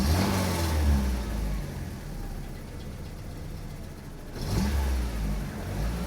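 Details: Saab 900 8-valve with Bosch K-Jetronic, after swapping injectors: revs up and settles smoothly with no stumble or miss; earlier tip-in stutter was a plugged injector not opening until high pressure.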